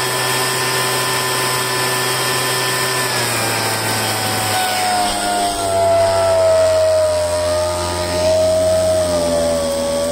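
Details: Poulan handheld two-stroke leaf blower after fuel line replacement and choke-cycling to clear carburetor dirt, restarted: steady buzz sags slightly then settles even, running on its own without stalling.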